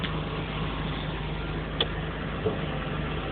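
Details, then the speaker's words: 1994 Chevrolet Camaro 3.4L V6 idling about 1000 rpm with an uneven, loping beat like an aftermarket cam though it has none; running rich, sooty injectors, strong exhaust smell, catalytic converter removed, cause unknown. "when it runs it sounds like it has a camshaft but for like an aftermarket camshaft but it doesn't"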